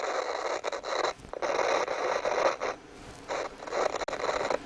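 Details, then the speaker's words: CB radio on test bench, bursts of harsh crackling hiss through its small speaker cutting in and out as the control is turned; a very scratchy potentiometer, though the set otherwise receives well down to one microvolt. "that is one scratchy pot."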